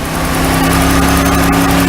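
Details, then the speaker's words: 1991 Oldsmobile Cutlass Ciera, warm idle just after replacing all fuel injectors with rebuilt Ford/Bosch units: steady low hum with faint unevenness, not as smooth as hoped; owner suspects gummed-up idle air control. Rough idle. "Not as smooth as an idle as I would have hoped, but I need to do something for this intake here."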